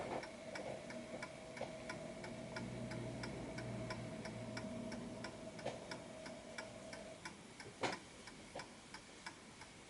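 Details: Antique Westminster chiming clock with a silent function, tested before posting: a crisp, evenly spaced tick-tock at roughly ninety beats a minute with no skipped or lopsided beats; the clock is in beat and running properly.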